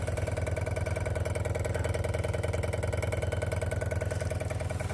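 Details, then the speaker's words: 1971 Rover 3500S P6 US export, newly installed fuel pump with loose mounting bolts and low fuel in the tank: steady low hum with an even pulse about twice a second, quieter than the old pump; running normally. "It's not as not as noisy as the old fuel pump."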